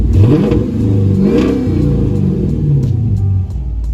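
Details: Dodge Mopar (Charger/Challenger/300C type) after a hidden kill switch install: it fires up and revs cleanly, pitch climbing and falling evenly with the throttle under music, a healthy engine working like factory.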